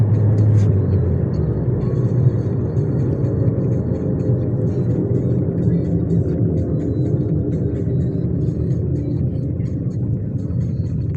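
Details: 2006 Nissan Almera Classic SE, manual, while driving: steady low droning hum from the front wheels under road roar, no knocks, came on suddenly overnight; front left hub bearing found worn.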